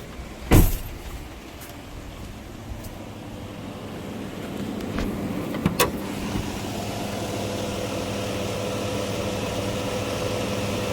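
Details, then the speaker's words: 2018 Chevy Silverado 5.3 V8 idling rough with a low, lumpy drone and a noise from underneath; the engine visibly shakes, coolant is slightly low, and a misfire is suspected. "I don't know if you can hear that noise. Something's making noise down there. Not sure what that is. Tell you what, it runs terrible."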